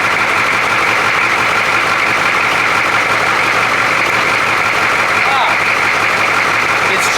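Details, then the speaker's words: 1982 Chevy K5 Blazer with a 6.2 diesel, first start after glow plugs: a steady, even diesel clatter at idle with no stumbles or knocks and no smoke. Normal, healthy idle. "sounds good and it shuts off wow didn't even smoke at all huh he wasn't kidding this thing ain't too bad man"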